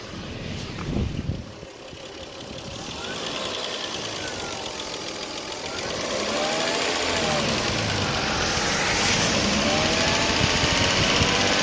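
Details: 1998 Lexus GS300 petrol engine idling and revving with a light, fast ticking that grows louder as revs rise; mildly audible in the cabin under acceleration; engine ticking noise, cause unknown.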